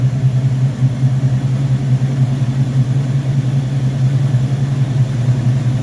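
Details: Rebuilt Rochester Quadrajet 7029202 from a 1969 Corvette (ethanol-damaged fuel bowl cleaned up), first start after rebuild: deep, even V8 idle with gentle lope and small throttle swell, clean and steady, no stumbles or knocking; normal idle.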